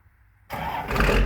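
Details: 1993 Dodge Ram D350 with an unmodified Cummins diesel (killer dowel pin fix) and 5-speed Getrag manual, exhaust brake fitted: catches within a second of cranking and settles into a strong, even clatter with no misses; healthy start.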